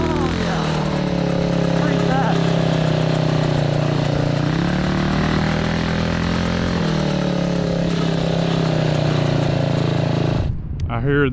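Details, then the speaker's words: Idle stays high on a 228cc single-cylinder 4WD Ford Bronco Power Wheels go-kart: fast, unchanging buzz with no drop back to idle; throttle feels like it's under constant pressure, idle screw suspected misadjusted. "it's not really returning to idle okay well let's see maybe that idle screw is just jacked up"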